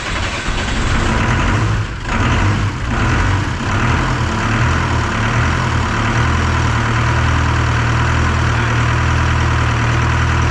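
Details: Detroit 4-53T two-stroke diesel after swapping failed 9G90 injectors back to tuned 7A77s and replacing a loose suction hose clamp before the primary fuel filter; catches after a few uneven beats, then smooth even low drone, steady firing; normal idle.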